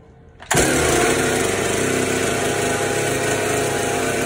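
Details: Stihl chainsaw after clearing a flooded engine (soaked spark plug dried and refitted), started at half throttle: catches abruptly after short silence and settles into a steady, even buzz; starts and runs normally.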